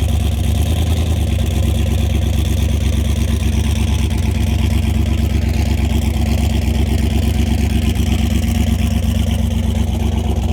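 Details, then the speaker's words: Mustang engine on the dyno after a blown head gasket, with the steel O-ring pushed out of the head and one cylinder at zero compression: loud, lumpy idle about three beats a second with compression escaping; running on seven cylinders. "Yeah, no head gasket here, baby. Hear the compression coming out?"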